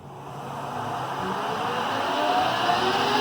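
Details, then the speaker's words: 1983 Clausing Colchester 12 geared-head lathe (13x40) with a Teco VFD, after running up to 750 RPM, with the feed box turned off so only the headstock runs. Low, smooth hum with faint gear whine; the head runs quiet, and the feed gearbox is the noisier part. "So there's the head. You hear how quiet it runs. The gearbox is what makes more noise."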